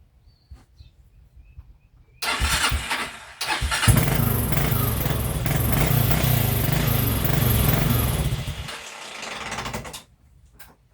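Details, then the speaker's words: TrailMaster 300 XRS go-kart with a cleaned carburetor after sitting, before carb adjustment: the engine catches after cranking, surges unevenly with throttle blips and won't settle, then dies. Rough running. "Get a little bit of gas there. Look at that. Oh, I got it in gear, man."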